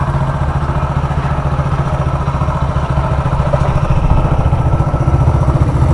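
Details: Hero Splendor Plus single-cylinder after engine repair for crank noise: even idle with a regular low thump and no knock or rattle over it; the engine sounds healthy.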